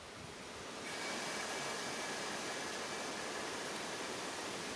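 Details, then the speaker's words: Vevor 11000 lb (5-ton) air bag jack under the front of a John Deere loader tractor at full shop air pressure: sudden steady hiss as the safety relief valve vents at maximum; safety valve works as it should. "my shop here going that's about the maximum and you can just hear it starting to leak next okay so that safety valve works that's good to know"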